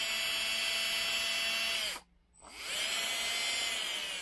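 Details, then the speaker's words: Titan 21-turn 550 brushed RC motor from a TRX4, bench-tested after the squeak fix while still wet inside: smooth, steady high whine with no squeak, spinning down and winding back up evenly in reverse; runs cleanly both directions. "that's forward so bolt forward and reverse work you know i can hear the motor in the water it's like trying to dry out the water"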